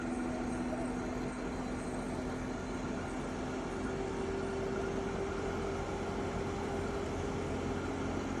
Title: EcoFlow WAVE makes an unpleasant and loud noise. Video 3